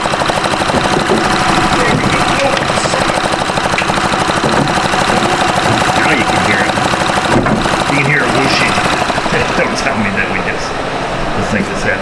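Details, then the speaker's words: 2007 Honda Odyssey 3.5L with check engine light and EVAP no-purge-flow codes, the purge valve cycling on and off: a continuous airy hiss over the idle, a vacuum leak from a disconnected EVAP hose; no parts were needed. "Hear that noise? Hopefully the camera picks it up, but it's that really rapid that Sounds like a vacuum leak."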